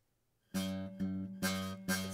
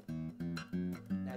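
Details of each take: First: Acoustic guitar, same note plucked four times, fingered at the back of the fret: some plucks carry a thin rattly sizzle of fret buzz from improper finger placement, cleaning up when moved toward the fret. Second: Zager acoustic guitar after a slight truss rod adjustment: four clean strums with the string rattle and fret buzz gone.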